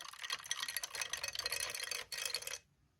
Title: Xbox Series S Rattling Noise